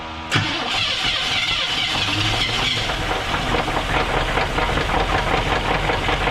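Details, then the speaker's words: 1978 Chevrolet Nova Custom 305 engine after sitting 33 years, run briefly on a fresh battery: engine catches and runs rough with heavy uneven knock through the idle; source unconfirmed, likely internal damage. "we're going to try it again put a fresh battery in so hopefully we can run it for a couple seconds and it it's it's knocking it's not good"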